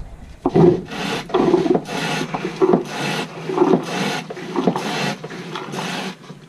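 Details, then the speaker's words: Jabsco marine toilet hand pump during maintenance, before tightening: a rasping suck-and-hiss about once per stroke as air is drawn in past a loose joint. The air leak should stop once the joint is tightened. "Il va y avoir de l'air qui passe là-dedans, c'est pour ça que ça fait ce bruit là. Quand je vais avoir resserré, ça va plus le faire."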